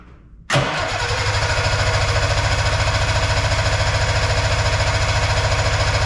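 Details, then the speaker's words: Arctic Cat Puma Deluxe 340 snowmobile, sat about 10 years, carb just refitted, about 45°F; engine cranks with steady uneven chug but won't run on its own, plugs wet from priming; cause unconfirmed. "Give it some more help, I guess. Ooh, this plugs are wet, so maybe we got something happening. Probably from me priming this thing."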